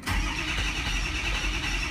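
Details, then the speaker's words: Diesel truck after replacement FICM, passed self-test, 48.5 V module supply, number three injector bad: catches quickly, a little uneven at first, then fires right up and settles into a smooth, steady idle. "uneven from fired right up running smooth"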